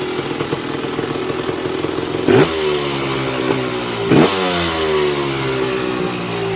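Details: Tecate KXT250 two-stroke, start with new fuel petcock, almost cold (last run half an hour earlier): buzzy steady idle with two quick throttle blips rising and falling cleanly; starts and runs, idle needs adjusting.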